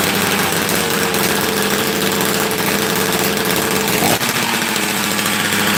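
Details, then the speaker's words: Rarely run chainsaw that had been sitting, flooded then restarted with no choke: loud, raspy two-stroke holding a steady, even speed after firing, no stumbling or dying; the saw is running fine. "ah see sometimes when they've been sleeping too long you got to help wake them up"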